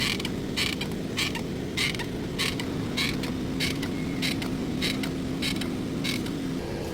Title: Brake Caliper Noise FIX 🔧 | Stop Annoying Brake Sounds (USA DIY Guide) #automobile